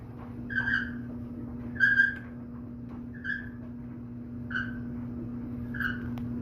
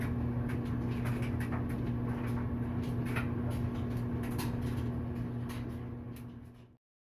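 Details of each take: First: Whirlpool clothes dryer, running: a high-pitched squeak about every 1.3 seconds with each drum turn over a steady low hum; cause suspected, not confirmed, possibly the dirty white wheel inside the drum that needs replacing. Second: Whirlpool dryer after a temporary repair for a squeaky noise, running empty: steady low hum with a soft, even thump about three times a second, no squeal, then it winds down. Drum turns smoothly; owner wonders if it always sounded like this.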